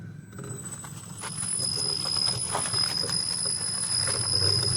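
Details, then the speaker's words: Ola S1X 3 kW key variant electric scooter, rear hub motor, pulling away up to about 6–7 km/h: a thin, steady high whistle over a low hum. The owner believes it is normal motor noise, not a fault. "ये देखिए दोस्तों, सीटी की सी आवाज़ आ रही है। अब थोड़ा बड़ा, ये देखिए अभी तक आवाज़ आ रही है।"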